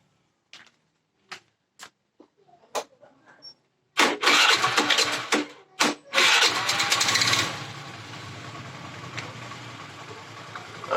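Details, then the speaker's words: Honda Vario Techno scooter, which shudders on initial pull-away: a few light taps, then it starts and settles into a steady, even idle; the engine itself sounds healthy. "jadi suara mesinnya itu masih bagus ya"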